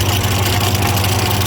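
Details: Ford 515 sickle mower on tractor, freshly greased, test run: deep steady drone with no weird big rattles or clatter; normal running, owner may re-grease and plans to replace an old cracked belt.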